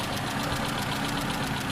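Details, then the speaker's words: Engine idling with a loud, rapid ticking over a steady clatter. This is before a metal-coating engine oil additive is added; after adding it, the ticking went quiet. "เ่อรถเกียร์สปอตเทคของกระผมเองนะครับมีเสียงดังแบบนี้นะครับภาพดังแกกๆๆๆครับังแรงมากเดี๋ยวผมจะ"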